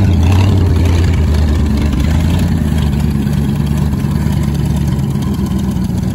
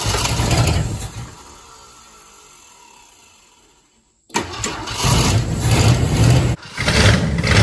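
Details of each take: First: 1967 Ford Thunderbird, 390 FE big-block V8, C6, sitting an estimated 20–30 years, first running: smoking, hard to keep running, low uneven idle hunting and stumbling; carburetor needs adjusting, owner suspects too much ignition timing; rough idle. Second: 1967 Ford Thunderbird 390 FE big block V8, sitting 20-30 years, cranks a few seconds then catches on fuel poured in the bowl, choke held open, and settles into a steady, even low rumble; starts and runs.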